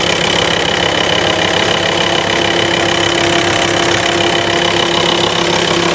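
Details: VW T5 Transporter (pre-facelift) diesel, idling after fitting a home-built all-aluminium intercooler and reconnecting hoses: steady even clatter with a faint high whistle, no hiss of a boost leak; runs smoothly.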